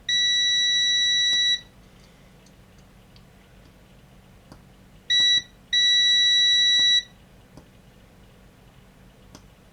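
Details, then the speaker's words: Unbranded DVD 420 DVD/MP3 player whose buttons don't work: continuity tester on a tactile push switch gives one long beep, a short one, then another long one with gaps. Intermittent switch contact; switches need cleaning or replacing. "Yeah, the resistance is even low enough um to make it beep. Yeah, that's a bit random."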